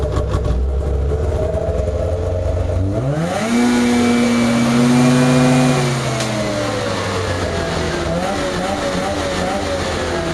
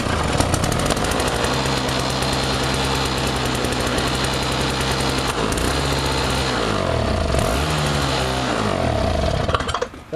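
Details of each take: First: Craftsman DYT4000 jacked up in the garage and revved fully to check for bogging: it climbs cleanly to a high, steady buzz and drops back with no stumble or hesitation. Healthy, no bog. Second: Toro two-stroke snowblower running on a fuel mix with too much oil: a busy, rattly buzz holds steady, then revs dip and surge near the end. It still runs pretty well despite the over-rich oil mix.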